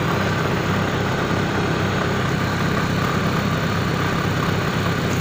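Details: Daewoo Nubira with idle hanging at 1500-2000 rpm, during TPS calibration on a cold engine; steady low idle drone with a slightly lumpy, starved undertone, as if short of gas; uneven idle.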